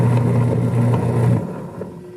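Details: Single-tub washing machine, owner reports it noisy while spinning, suspected failing gearbox: a loud, rough low drone with a steady hum as the washer spins, then it cuts out and fades.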